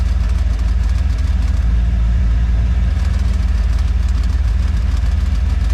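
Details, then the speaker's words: Boat engine on first water test after transom bellows and seals replaced: loud, uneven rattle over a deep, heavy idle at roughly three knocks a second; owner suspects a valve near the exhaust that wiggles slightly, cause unconfirmed. "You're gonna hear a pretty nasty rattle. I'm assuming on the camera here. It says valve. It wiggles a little bit from the exhaust."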